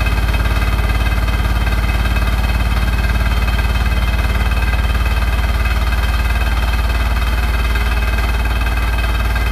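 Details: Hotpoint NSWR843C washing machine on its final 1200rpm spin: heavy, fast, even drumming of about four beats a second over a constant roar; rattling really loud, cause unclear.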